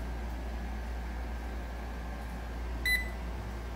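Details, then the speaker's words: MRU handheld gas analyzer, recently serviced unit, leak-proof test with intake looped to the pressure sensor: steady low pump hum pulling against the blocked intake, one short beep; good vacuum, seals fine. "so it looks like this leak proof test can hear the pump pulling against the GAC you"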